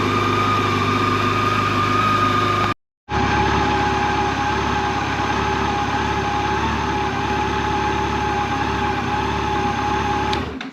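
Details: Brand-new 2024 Yamaha FJR 1300ES at 960 km, warming up for about 5 minutes before its first oil change, thermostat then opening; a smooth, steady idle hum with a constant pitch and even firing, no ticks or knocks; normal idle.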